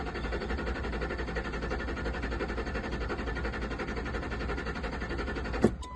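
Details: Ford F-150 pickup with fuel pressure gauge fitted and fuses checked good: steady starter cranking about six seconds, engine never fires; cranks but won't start, no fuel pressure when cranking, bad fuel pump suspected.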